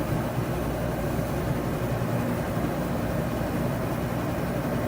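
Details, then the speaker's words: Arctic Air dehumidifier after replacing a stuck 20-amp compressor relay with pitted contacts: compressor kicks on with humidity setpoint lowered, steady low hum and even airy rush with the fan on, no rattles or cycling; normal running after repair. "I heard the compressor kick on. I don't know if you could hear that, but the fan's on."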